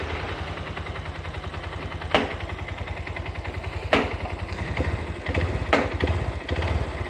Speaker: gga jadi kayak kurang bahan bakar jadi diatur setelannya ya diatur bisa tapi nanti ngorbanin atasannya mesti jadi dapat limit jadi cepat filter